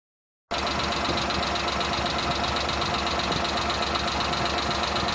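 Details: Suzuki Multicab, F6A engine: the idle runs with an uneven, stumbling beat of about four pulses a second over a steady hum. Random misfire at idle, being troubleshot.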